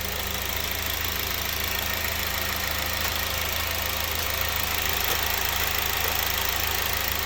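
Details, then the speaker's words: Honda Civic Type R EP3 after a throttle body clean: smooth, even idle with a steady low hum and no hissing or stumble, much better than before. "Put it all back together. That sounds a lot better. Loads better. Listen to that. Much better."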